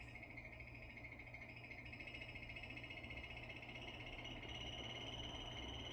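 Steady hum under a rapid raspy croaking chirp, about three per second, that never settles; abnormal air conditioner noise, source not yet found.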